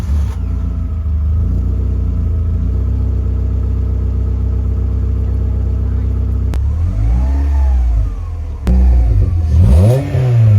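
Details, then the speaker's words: VW Polo 6N petrol, just after a fuel filter change, with the fuse back in and the battery reconnected: engine catches, settles to a steady, even idle, takes a few clean rev blips and drops back smoothly; healthy running. "Battery's reconnected, obviously that's fine. Fired it up."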